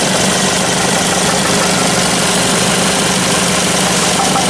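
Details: CAT forklift engine with an uneven, stumbling idle and irregular low thud; misfire traced to a shorted ignition coil.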